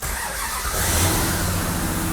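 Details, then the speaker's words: 1969 Dodge Charger Daytona V8 after fire damage repair, first start in neutral with no throttle: quick crank, then fires and holds steady, even fast idle with smooth beat; normal start and fast idle. "Yes! Woo! Listen to that! Listen to that. Oh my God! Yeah! Woo! Fast idle."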